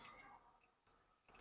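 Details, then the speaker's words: Bike GPS install, with the relay fed 12 V by the white wire and the key on: grounding the GPS trigger wire gives crisp, dry relay clicks in a quiet room and cuts the dashboard supply. The relay is working normally. "जब आप इसको ground करोगे तो यह इसमें आवाज आएगी एक कट कट की इसका मतलब यह है कि आपका रिले काम कर रहा है"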